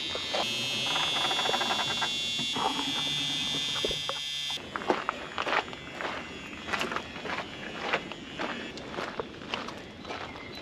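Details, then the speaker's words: 1974 Dodge Monaco barn find parked since 1990: steady high raspy buzz about four seconds; door warning buzzer still works. "the truth door buzzer still works"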